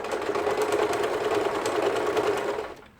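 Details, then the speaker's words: Yamata sewing machine after repair of a stiff needle bar and faulty bulb wiring: quick, even straight stitching at about three stitches per second with no binding, then winding down. Normal; loud because it is a low-cost machine. "지금 직선 바느질이 되고 노루발을 들고 다이아를 돌려주면 직접 바느질. 좀 저가의 미싱이기 때문에 소음이 큽니다."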